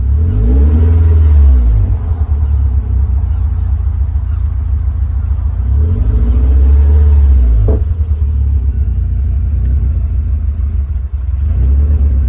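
Low, uneven idle that swells and sags every few seconds with a lumpy rumble, never holding steady; a rough idle.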